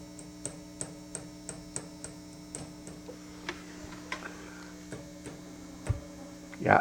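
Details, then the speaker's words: Hughes & Kettner TubeMeister 18 tube guitar amp with replaced tubes goes into protection mode and shuts down; steady hum with ringing pings as the tube is tapped, then a thump and over-current trip: microphonic bad power tube. "I think that tube's bad you can hear the noise"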